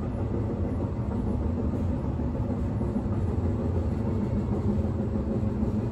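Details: Riding inside a 1991 S-Bahn Berlin BR485 railcar 485 112-7 on the S8, Schönfließ–Hohen Neuendorf: a steady low rumble and rattle from the running gear, rougher than usual, caused by a severe flat spot on a wheel.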